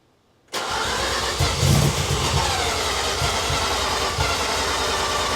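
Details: Rebuilt 13B bridgeport rotary first start, injectors and igniter reconnected: long cranking with steady pulse about four a second to seal rotors, then it catches and revs cleanly; normal start.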